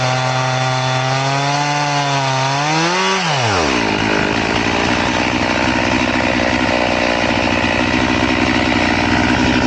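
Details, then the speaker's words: Crosscutting with a chain filed to 10 degrees: the saw revs up, then drops and bogs into a long, steady, laboured drone in the cut. The filing makes it cut super slow. "So we're going to cross cut it again, but it's super slow. It takes a while to do it."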